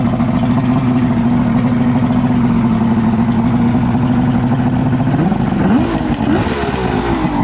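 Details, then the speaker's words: Outboard on 1998 Wellcraft 210 boat, sat for a while, just after fixing a broken-throttle-cable high idle: steady even idle hum, then quick throttle blips that rise and settle; runs good. "She runs good. We're gonna start it up again."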